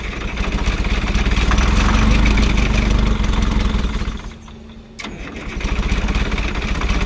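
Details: Old Grove crane diesel, unused for over 10 years, cranking after fuel bleeding: heavy churn at a few beats a second that dips and picks up, but it won't fire. Owner suspects a stuck fuel shutdown, since fuel reaches the rack.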